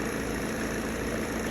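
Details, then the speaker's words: Mercedes E200 with OM651 diesel just after a cold start: loose metallic timing chain rattle over the idle. It lasts about the first ten seconds, then the engine runs normally; the timing chain is to be replaced. "بتشغل اول عشر ثواني بيطلع معك صوت الجنزير وبعدين بصير موتور نظامي"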